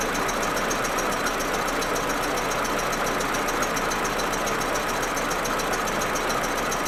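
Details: Audi A4 1.8T cold engine idling unevenly with rapid ticking stutter over steady hiss; smooth once warm. Plugs, coils, ignition amplifier and vacuum hoses already replaced; owner suspects injectors or carbon buildup.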